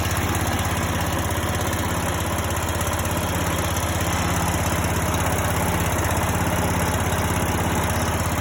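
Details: Greenfield E2000 ride-on mower, 17HP Briggs & Stratton Intek OHV, sat for years, revived with starting spray: steady even low thrum at idle, no misses or knocks; runs nicely, healthy, no tune needed.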